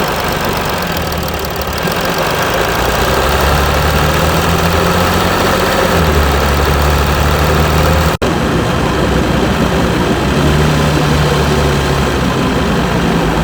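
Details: Mercedes E320 CDI S211, 3.2 V6 diesel 224hp, 250,000 km, 7G-Tronic, DPF and catalyst removed, cold start after a week, smokes slightly on start: shaky uneven clatter, wavering pitch steadying slightly as it runs; rough cold idle.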